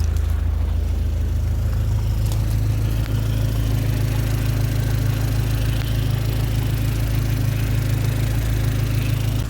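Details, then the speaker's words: 2004 Dodge Neon SRT-4 idling after a crank-no-start fixed by repairing corroded, low-voltage starter wiring; deep, even idle hum with no stumbling, check engine light on; normal idle. "how about now yo is running come get it srt4 is back together we're running and check engine light but"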